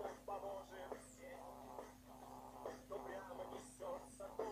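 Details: Toshiba Satellite A210 laptop playing music: thin, raspy sound with a steady buzz under the vocals from the right speaker, caused by a torn speaker membrane; fix is gluing or replacing the speakers.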